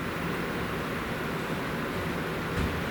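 Steady even airy whoosh of fans spinning up with no clicks, grinding or rattles; a healthy new build powering on.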